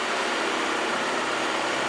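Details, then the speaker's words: VW Golf Mk5 GTI, 106K miles, at idle: fast even ticking over steady diesel-like clatter, the high-pressure fuel pulsing back through the fuel system, typical of Mk5 and rare on Mk6; injector ticking. "Just That's the ticking, isn't it? yeah, it's the ticking, it's the You pulsing. can hear it. It's the pulsing back through the fuel system."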